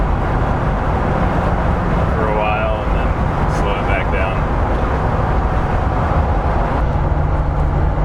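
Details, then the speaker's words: Land Rover Discovery 2 on its first drive after an engine rebuild, loaded repeatedly to break in the piston rings: deep steady engine drone pulling hard under load with road and wind noise, no knocks or rattles; healthy. "I keep giving the engine some load to break in the Rings so I'll slow down and then uh put some load on it for a little bit like this"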